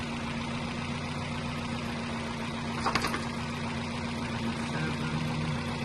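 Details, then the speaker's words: 2007–2012 Nissan Versa at warm idle after cooling fan replacement for overheating, coolant around 96 degrees: single fan cuts in with a soft whoosh and runs evenly, no rattle or grind; normal. "Okay, so you can hear it turning on now."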